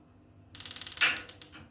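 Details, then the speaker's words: Digital gas water heater with ignition fault: rapid even run of sharp ticks about twenty a second, then louder snaps; the igniter sparks normally. "طيب كده هنعمل تست نشوف الاشعا شغال ولا لا واحده واحده"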